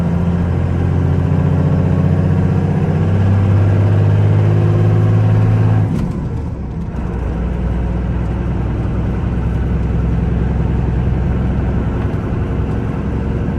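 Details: 1994 Dodge Ram 2500 4x4 with a 12-valve 5.9 Cummins diesel, 122k miles, accelerating uphill through the 5-speed manual: deep, even drone pulling cleanly with a smooth break at the gear change and no knocks; healthy.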